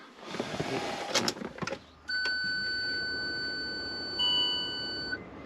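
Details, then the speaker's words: Range Rover Sport L320 at key-on after a parking sensor wiring repair: clicks, then one long steady beep of about three seconds as the parking aid button lights and keeps flashing. This is a parking aid fault warning; cause not confirmed. "So this button here, and so far every time I put the key in and turn it on, that has a long beep, it lights up and it doesn't do anything."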